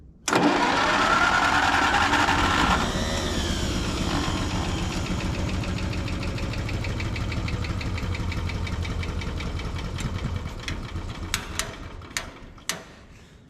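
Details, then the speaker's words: Antique tractor's small gas engine started by push-button with too much gas: it catches suddenly, runs raggedly with an uneven beat, then sputters out after ten seconds. Hard starting and rough running. "Come on. Man. This thing is gonna be fussy. This might take longer than expected, guys."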